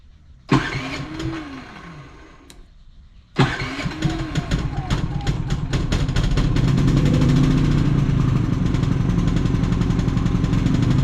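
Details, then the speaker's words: Predator generator with many hours, surging after running a week straight and running out of gas: it pull-starts, dies, restarts and runs unevenly with a ragged, wavering, misfiring beat. It gets worse under load. "yes she not running right guys she's clearing up but she's like missing and stuff there it goes it's doing it it ain't running right"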